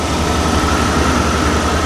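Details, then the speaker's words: Buick Skylark idling as the AC compressor kicks on: steady engine idle with a strong even rush of cooling-fan air and compressor hum; compressor and fan run normally, though the air is not yet cold. "cooling fan is blasting away air compressor is air compressing"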